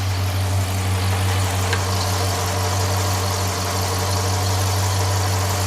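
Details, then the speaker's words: Loud, deep V8 idle drones steadily with a slightly uneven, loping pulse underneath after running a while during engine flush service; rough idle. "Sounds like crap. I ain't going to lie."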